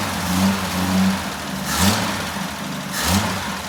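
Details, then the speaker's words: Jeep J10 with rebuilt carburetor, cold, weak battery, choke set by hand, fuel now in filter: uneven idle with two sharp surges about a second apart, struggling to settle; owner suspects air pocket or weak fuel pump. "All right. Had to fight it a little bit. Mess with that choke. Uh make sure probably had an air pocket or something. That fuel pump may be a little bit on the weak side."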